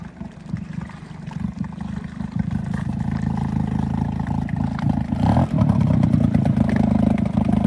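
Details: 6hp Hangkai two-stroke outboard with its lower-unit exhaust cap blown out. A loud, raw open-pipe buzz climbs with throttle, far louder than underwater exhaust, like a straight pipe.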